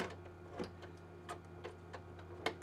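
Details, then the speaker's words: Original Xbox DVD drive tray sticking, mechanism keeps pulling the tray back in: quiet irregular ticks and clicks over a faint hum; fixed by cleaning and fitting a new rubber drive belt. "Disc drive sticking. Hopefully they're all this easy, but yep, it is totally sticking."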